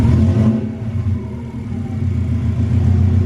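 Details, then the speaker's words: Subaru flat-four with temporary routed pipework, after spark plug replacement to cure a misfire/backfire; gentle blips with smooth even rumble settling back, steady firing, no misfire: normal rev. "Sounds pretty good to me. Sounds alright, doesn't it?"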